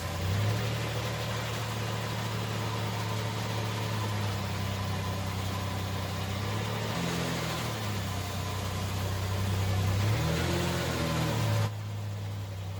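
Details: 1989 Ford Ranger engine swapped into a 1987 Ford Bronco II, first start: steady, even idle with a smooth low rumble and a couple of brief rev blips; sounds healthy.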